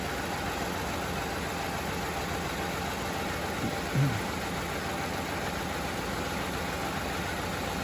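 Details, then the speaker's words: 2015 Ford F-150 with intermittent stalling at idle, currently idling steadily with no stumble, surge or misfire; it is not acting up at the moment. It is a colder day, with idle oil pressure of 20–25, and a scope is on both bank cam sensors. "Right now it has not been acting up. Hoping to get something to show soon."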